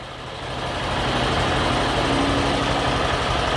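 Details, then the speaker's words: Honda CG/Titan 160 single-cylinder with 52,000 km, after fitting a new camshaft, idling with a dull mechanical rattle under the exhaust beat; camshaft made it quieter but the tired engine itself is worn and due for rebuild. "é parece que D uma melhorada só que esse motor é igual eu falei tá um pouco cansado tá não tem jeito pouquinho cansado ele tá mesm"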